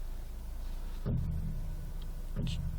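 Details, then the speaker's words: 2005/2006 Citroën C3 Exclusive 1.6 16v Flex electric power steering: two dull drum-like knocks while turning left when parked or manoeuvring slowly, seeming to come from the right side; owner suspects the steering box. "barulho tipo um tambor quando vira, ó. Parece vir do lado direito ou sei lá, sempre quando vira, ó. E sempre quando eu estou dirigindo lentamente, manobrando."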